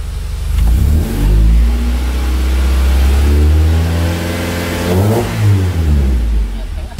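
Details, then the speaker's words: Swapped F22B1 VTEC engine in a Honda Accord Maestro CB7, revved to 2,500 rpm in the garage as temperature rises: revs climb and fall smoothly with no harder high-rpm note. VTEC does not seem to engage; the owner suspects the engine isn't hot enough yet. "rusak e2500 disini jalan tapi suara mesinnya Enggak berubah"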